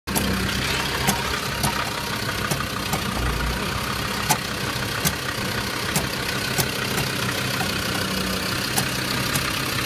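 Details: Land Rover Discovery 2 engine idling with sharp, irregular ticks about once a second over a steady rumble; strange noise, cause unknown.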